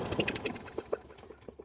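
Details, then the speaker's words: Troy-Bilt 21" mower with Briggs & Stratton engine, carburetor removed, carb cleaner sprayed into the cylinder: a handful of sharp, uneven pops with no steady running, showing compression and spark are present. "If I spray a little bit of this in the cylinder, it should still pop off. It won't run great, but it'll pop. That'll let me know if I have compression and spark for sure."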